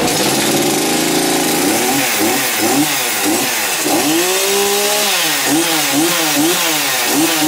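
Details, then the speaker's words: Chainsaw test fire after servicing and chain sharpening, chain refitted: crisp two-stroke buzz climbing cleanly with each throttle blip and settling back; running normally. "get them lined back up walk them down and we do a little test fire"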